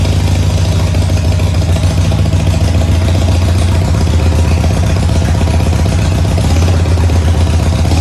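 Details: Harley Sportster after an engine oil change with 2.5 in the oil tank, just started: a loud, deep, even V-twin lope that holds steady with no knocks or misses. Normal idle.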